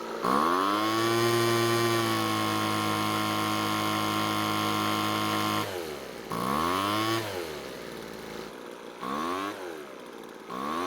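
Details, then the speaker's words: Small two-stroke blower with a newly fitted replacement carb, heard during carb adjustment: a steady buzz droops and wavers at idle, then picks back up. The idle is sagging and the cause is unclear. "So in the middle of adjusting the carb, something odd was happening. It seemed like the engine was slowing down while at idle, which is not normal."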